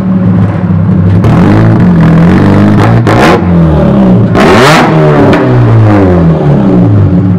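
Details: Chevrolet Cobalt SS supercharged; loud raw rasping exhaust rising and falling with sharp revs, like a straight pipe after the exhaust came loose; exhaust leak.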